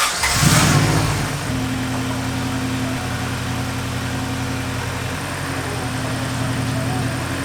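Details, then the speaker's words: Honda Civic EG coupe with a B18C1 engine swap, just after reinstalling the rebuilt transmission to cure a transmission noise: quick start into a smooth, even idle with no whine, grind or clunk. The noise is gone. "the noise is gone that is such a big dub"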